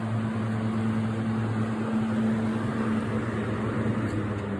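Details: 20-inch 3-speed box fan with Hunter motor, running on medium: steady even hum, low drone and soft air rush, no rattles or wobble; healthy motor.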